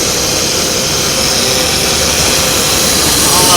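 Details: 1993 Mercury Cougar, in for a water pump and weak heat, running with a loud, steady hiss over the engine that does not change pitch. This is a massive vacuum leak.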